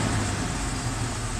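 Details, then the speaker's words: 1995 Ford F-150, 4.9L straight six, about 201,347 miles, idling around 800 rpm after a fix for misfire, bouncing tachometer, rough idle and stalling: smooth, even low rumble with steady firing and no skips; idles like a brand new vehicle. "good I'll so yeah here it saddling like a like a brand new vehicle"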